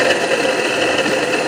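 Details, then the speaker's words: 1/2 hp donkey water pump motor, before bearing replacement, run directly on test board: loud constant rough whir with rattly edge and steady whine over hum; worn motor bearings. "बस की आवाज़ ए गई होगी कितनी आवाज़ दे रही है तो हमने इसका ये मसाला हाल करना है आवाज़ का"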